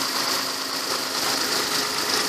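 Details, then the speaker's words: Kia Sorento/Sedona 3.5L V6 idling after a timing belt job: steady, even idle with a light uniform tick and no knocks, slaps or squeals. Belt tension is perfect, so the valvetrain and belt are healthy. "look like everything's holding tight tension's perfect you can hear it sounds like a little baby purring"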